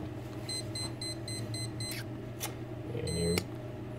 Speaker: what you'll actually see is the green light come on and you'll hear the beeping from the speed controller it shouldn't start up though because I got to turn all the way down